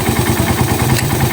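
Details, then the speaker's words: Raider 150 motorcycle idling after shim replacement and cam holder honing to cure a noisy head. Even single-cylinder idle with only a faint tick; the earlier typewriter-like clatter is gone. "Okay na wala na siyang lagitik kasi nung una dating to parang ano eh Parang makinilyang"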